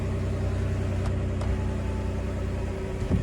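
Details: Toyota Alphard that would not start (suspected blown fuses), started by touching key chip to button: steady low even hum, no knocks or misses; smooth idle.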